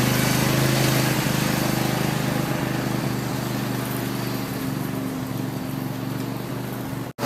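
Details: Craftsman lawn tractor after no-start repair, idle over a year, full gas tank, warming up outside: steady, even single-cylinder putter with constant beat, no misses or knocks; normal running.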